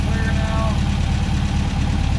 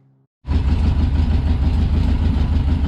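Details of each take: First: 1963 VW Beetle air-cooled engine after new plugs, fuel pump cleaned of orange gunk, fresh gas and Seafoam: quick, fairly steady putter with slight unevenness; idle now smoother, normal. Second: 1963 VW Beetle after new spark plugs, bowl primed to start: low, uneven loping chuff, won't keep running; owner finds the fuel filter builds no fuel pressure, carburetor may need a rebuild; rough running.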